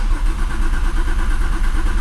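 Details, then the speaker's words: Porsche 911 Turbo 997.2 9A1 engine after rebuild, first start attempt: long even cranking with no catch because the fuel system is not yet primed; the cranking sounds healthy. "long crank oh I wanted to fire up there"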